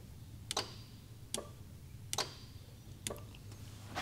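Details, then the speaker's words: Honda A/C compressor clutch switched on and off via a jumper relay in place of the stock relay: crisp single clicks every second or so over quiet hum; clutch engages cleanly, so wiring, grounds and clutch coil are good. "let's plug this in and now we're going to listen you're going to hear the clutch click back and forth"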